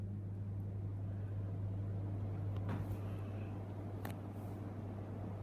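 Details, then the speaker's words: Bali M52 ceiling fan running: steady, heavy low buzz, a loud vibration hum rather than a quiet whir, attributed to the twisted shade; blade brackets slightly off. Cause suspected, not confirmed. "Listen to that vibration because of the twist on shade."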